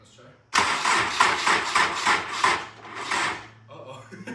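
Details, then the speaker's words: Honda S2000 during a full turbo kit install, first startup after the oil pan was refitted: starter churns with no catch, then the cranking fades and stops as the weak battery dies; no start. ">> It's not even churning. >> YEAH. >> OKAY. >> Should I let it keep running or what? >> I would try a couple more times. The battery is getting weak."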